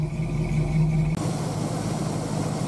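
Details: 1966 Pontiac 389 V8 just after water pump and divider plate replacement, new 180° thermostat, warming up at idle: steady, deep, even idle with no knocks, squeals or misses; normal healthy idle.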